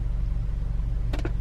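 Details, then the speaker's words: Audi A4 B8 2.0T that had a misfire (P0300/P0301) and rough idle, after replacing the faulty alternator: low, even idle with steady pulse, no stumbles; misfire totalizer reads zero, no more misfire. "so guys there's no more misfire she seems fine so far"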